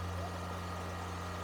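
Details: Engine with a high idle issue, cold start on a cold day, idling at about 2500 rpm as a steady, fast hum with no dip. Pinching hoses makes no difference; the cause is suspected, not confirmed. It smokes quickly; a possible blown head gasket is suspected.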